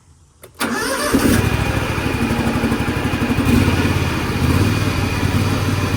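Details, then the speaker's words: Gravely 48-inch hydrostatic zero-turn mower cranks briefly, catches and runs steadily with the PTO engaged after installing a new PTO belt; healthy start and run. "We're gonna crank it up, engage the PTO, see if we're okay."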